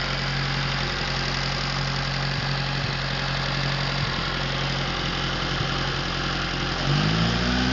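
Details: Atomic 4 inboard engine overhauled last summer (new pistons, rings, valve springs, plugs, wires, higher-flow water pump), run without choke on a test stand for a 17-foot homemade wooden boat, alternator off: smooth, even idle, steady low thrum, then brief clean rev rise, no knocks; normal idle.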